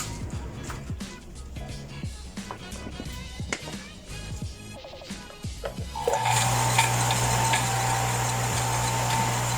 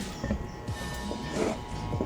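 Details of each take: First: Water pump that hummed but would not start, as if stuck, after the fan was refitted and reassembled: starts into a steady, even hum with water rushing, with no grinding or stalling. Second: Water pump powered but not starting: steady electrical hum with no spin-up, current arrives but the stuck motor shaft won't turn.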